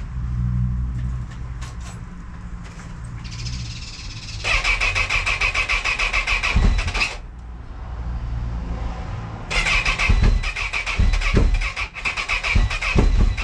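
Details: Honda CB1000R hard starting: long cranking bursts with uneven firing pulses that never settle into a steady idle; engine struggling to start.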